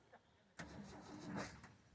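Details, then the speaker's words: 1979 Ford F-series High Boy truck with new cam, unstarted for about a year, after carburetor work: catches cleanly after a short pause and settles into an even, steady run with no misses. Normal start and idle. "sounds like sounds like that cam you put in it's really doing good"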